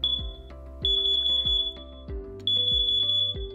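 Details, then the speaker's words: A BRK carbon monoxide alarm gives groups of four fast, shrill beeps, then a short pause, repeating: its alarm pattern signalling that CO is present. "Let's go over some of the chirp patterns from your CO alarm. Here's what it sounds like when CO is present."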